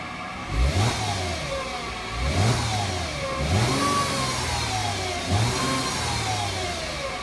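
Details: 2008 Mercedes-Benz C300 V6, stock exhaust, cold start with throttle blips: a thin whine climbs and falls with the revs from a failing alternator; a replacement alternator cured the noise.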